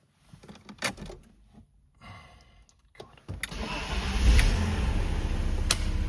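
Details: BMW Z3 1.8/1.9 after replacing clutch, solid flywheel, gearbox and starter motor: a few seconds of quick cranking, then engine catches cleanly into a steady even idle; healthy start.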